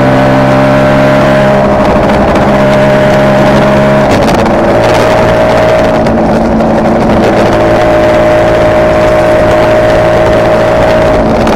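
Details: Kawasaki KR250A two-stroke twin at idle, tachometer moving oddly for last few runs; beat stumbles every few seconds; owner suspects misfire on one cylinder whose wiring links to the tachometer.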